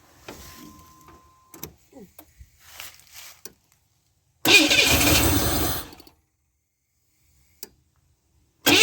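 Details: 1991 Camaro project being cranked with starting fluid and about 40 psi fuel pressure after the plug wires were refitted: about 1.5 seconds of starter cranking that never catches, then silence; crank no start, so the distributor is pulled next.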